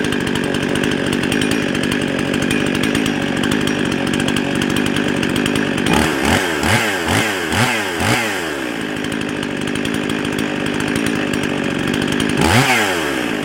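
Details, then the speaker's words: Husqvarna 55 chainsaw that bogged in the cut but ran hot and fast: screams at a high, even idle, then revs sweep up and down. Runs lean and fast from a carburetor gasket air leak. "sounds like she's running a little bit fast"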